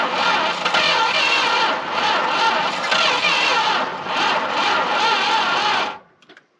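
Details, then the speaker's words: Long-sitting Dodge W300 4x4 dump truck, battery charged; about six seconds of sluggish uneven cranking, surging about three times a second, never firing; owner suspects weak battery or a hose-clamped wire. "that definitely sound like it's about to go um still something seems like we're not getting enough use could be the batteries really not that good"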